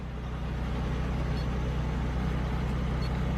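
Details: GM car that had P0300 random misfire, idling after the fuel pressure regulator was replaced, the oil changed and codes cleared, coolant at 88. Steady, smooth low idle rumble with no misses, stumbles or knocks.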